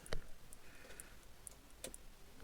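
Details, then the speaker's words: Bondwell 16 computer power supply tested out of the machine with no board connected: quiet sharp ticks about twice a second and a few louder clicks as the 5 V rail jumps around, like switching on and off; suspected cause no load, unconfirmed. "And the 5 volt rail's jumping around. Sounds like something switching on and off. It could be because there's no load."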